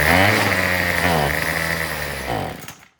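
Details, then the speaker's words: Troy-Bilt TB225 two-stroke tiller revs raggedly, wavers, then sags and dies within seconds, still running out of gas after richening the Pac-Man carburetor adjustment 1/8 turn; fuel starvation from rotten fuel line and dried, old carburetor diaphragm and gaskets. "Yeah, it just sounds like it's still running out of gas."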